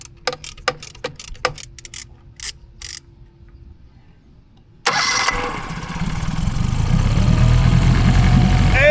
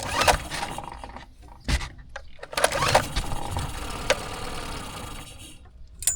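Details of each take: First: Tohatsu 9.8 hp 4-stroke transom-mounted outboard on a 1981 Cape Dory 28, after cleaning gunk and wire-brushing: starter cranks briefly, engine catches, revs, then runs steady with no misfire; idle valve still needs adjustment. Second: Tohatsu 9.8 hp 4-stroke outboard, transom-mounted on a 1981 Cape Dory 28, electric start in neutral after the carburetor is drained: cranks, catches in uneven bursts, runs rough a second, then dies.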